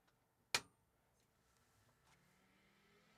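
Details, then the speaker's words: Macintosh SE/30 power-on: one sharp clunk, hard drive spins up, faint whir but no startup chime; sound chip damaged by leaking capacitors. "Drive spun up that's good uh there's no Chim you'll notice now that's an indication that uh the sound chip has been damaged because of leaky caps"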